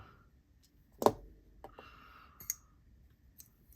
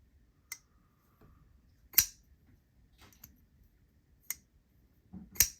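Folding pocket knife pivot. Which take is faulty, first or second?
first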